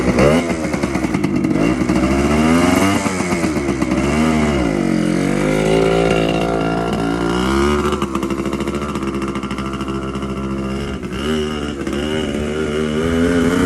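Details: TC125 two-stroke dirt bike after carb clean, new fuel line and filter, spark plug swapped: crisp buzz rising and falling smoothly with throttle blips, no misfires; runs clean.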